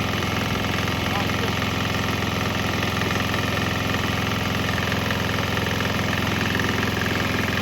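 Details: Swan X 165F Chinese single-cylinder diesel running on straight used canola (fryer) oil; steady thump about three and a half beats a second, even and unbroken; normal running, proving it runs on straight canola.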